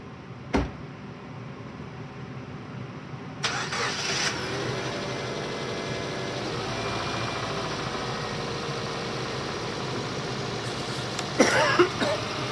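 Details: 2009 or 2010 Subaru Impreza 2.5L run out of oil, now refilled to full after an oil and filter change; cranks, catches, then idles with heavy uneven bottom-end knock; rod knock in multiple rods from oil starvation.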